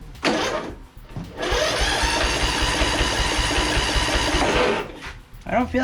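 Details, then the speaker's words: Toro 14.38Z zero-turn mower, cranking on jumper cables with a spark tester fitted: starter spins the small engine evenly for a few seconds with no firing; spark appears dead, so it may not be a carburetor issue. "wow that seems very dead on the spark Cuts interesting if that's the case it may not be a carburetor issue at all"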